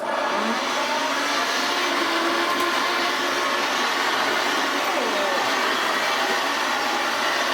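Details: Hoover Senior 652A upright vacuum cleaner running on first look, before strip-down: coarse, rough rushing hum with a gritty edge and no clean tone; cause of the awful sound not yet known. Rough noisy motor.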